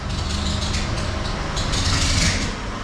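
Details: 2013 Mercedes Vito diesel idling: uneven chattering rattle with hissy high screech and bouncing tensioner; misdiagnosed as aux belt tensioner, actually failed alternator overrun pulley, fixed with new Schaeffler OAP pulley and aux belt.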